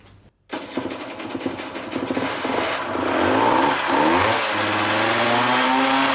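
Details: Motorcycle/quad 12V charging-circuit test, engine started and held around 3000 rpm: it fires at once and climbs smoothly to a steady rev with no misses. The voltage held about 14.3 V, so the regulator is fine.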